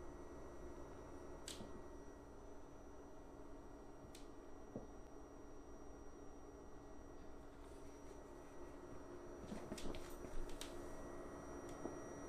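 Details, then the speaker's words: WEMAX Nova 4K UST laser projector, about a week old: thin, steady high-pitched electrical coil whine above fan rush, starting when laser initializes and lasting whenever on; unit being returned. "but for the past two days i noticed the high pitch noise coming from the projector which is very annoying and very destructive so i will show you what the noise sounds like"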